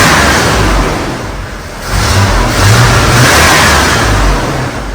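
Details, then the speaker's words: Cheap air-bagged Chevy van, engine reassembled after the old injector was replaced: it revs up cleanly twice and settles back smoothly with no stumble or miss. The old injector was the problem; normal revving. "I'm a CH God damn I'm good that's alive but I'm very happy man I love these 43s that the old injector was definitely the problem"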